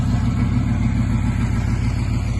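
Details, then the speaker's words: Stock Ford 6.0 Powerstroke at 300,000 miles on original head gaskets, idling after an injector replacement: a deep, even diesel rumble with a steady firing beat and no misses or knocks. Running smoothly and seemingly better than before. "It looks like it's running, or it sounds like it's running better."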